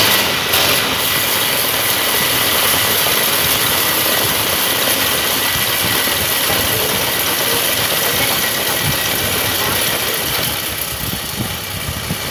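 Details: Honda GX35 four-stroke brush cutter started after reassembly, following a fault where the blade turned during pull-starting: steady, even buzz with no knocks, rattles or hunting; healthy normal idle.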